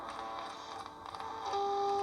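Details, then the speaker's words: Soviet Sokol-4 multiband portable radio, long wave band, after oscillator alignment: hiss and faint chatter, then a 413 kHz signal-generator tone at the band's high end comes in strong and steady, now received clearly. "Here are 413 kilohertz. So now we are hearing it rather clearly."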